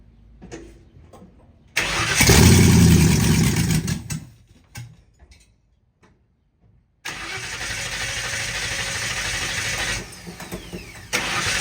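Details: 1960 Ford F100 shop truck V8, first start in years, open header, temporary fuel tank. Catches and roars, dies, restarts into an unsteady low idle that never settles; owner suspects gummed-up carburetor: rough idle.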